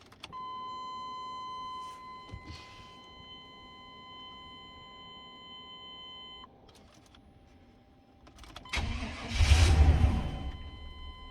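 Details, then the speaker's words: 1998 Chevy C1500 that cranked but would not start because of a clogged fuel filter, now replaced, with the fuel pump primed first. A chime sounds, then a short crank and the engine catches at once and runs evenly. Healthy start after repair. "Oh, it did good that time. Alright, so we got it running."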